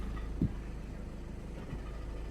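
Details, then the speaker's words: Diesel idling with a low, uneven knocking rattle from a failed dual mass flywheel; knock eases with clutch pedal down, returns when released; no pedal vibration here; DPF warning also appeared on dash. "this is the sound of a failed dual mass flywheel or DMF for short hear that knocking noise that's the DNA sometimes you can also feel of a pulse or vibration on the pedal although not in this case there's nothing on that pedal"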